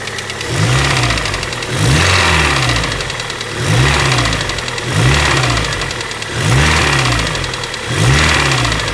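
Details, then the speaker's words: Honda Prelude engine blipped repeatedly: a hollow rapping, louder on each rev-up, that first sounded like head or cam noise; it is piston slap from a broken skirt, with no pressure holding the wrist pin on one side, while the bearings seemed fine. "so that noise you guys were hearing in that clip was friggin pissed and slap because it was uneven because the freakin there was no pressure holding the damn wrist pin up on that side"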